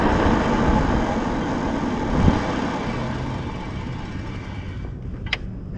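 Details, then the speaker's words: Stunner X eBike hydraulic disc brakes after replacing fluid-contaminated pads: smooth slow stop, road and wind noise fading with no squeal. "go no squeal that was it that's all we needed just to replace that one part replace those pads problem solved"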